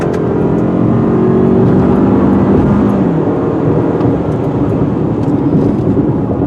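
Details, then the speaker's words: 2018 Toyota RAV4 Adventure, four-cylinder, about 3,700 lb, hard acceleration: engine tone climbs slowly, then pulls steadily and evenly over road noise, no knocks or misses; slow to spool but healthy. "takes up off for the engine to spool up but once it gets going the vehicle gets going"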